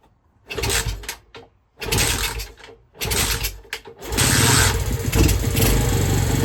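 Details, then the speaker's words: Skyteam Skymax ST125 with swapped-in semi-auto Lifan engine on temporary pit-bike wiring kit, exhaust just fitted, fuel on: a few short cranking bursts, then the single catches into a steady even idle; normal start. "Got the exhaust on now. Fuel's been on for a few minutes. The float bowl should be full. So no reason why it shouldn't fire up."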